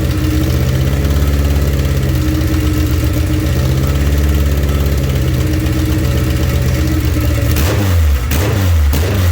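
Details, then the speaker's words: Honda K24A2-swapped Toyota MR2 at first start: engine catches and runs rough, surging and stumbling, only keeps running while brake cleaner is sprayed into the intake. Owner suspects a fuel problem, possibly the fuel pump; unconfirmed. "yeah it's not wanting to run not wanting to run unless i spray brake clean into it but it does run"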